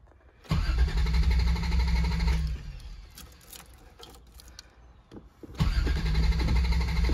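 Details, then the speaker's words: 1987 Toyota Supra MK3: two bursts of steady cranking at about three and a half beats a second that never catch. Crank, no start; the seller said a failed sensor prevents spark, and the owner plans to replace it and check the plugs. "so that's not as quick as I can spark everything's cranking though that's a good sign um interesting I'll check spark plugs next uh see what the issue is"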